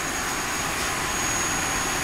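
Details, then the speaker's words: Three-phase squirrel-cage blower fan driven by a VFD at 40 Hz: steady even rush of air with a faint high whine and no knocks, running smoothly with only slight vibration at this speed. "you can see that it's super smooth I mean it's vibrate a little at this rpm this 40 Hertz but pretty good"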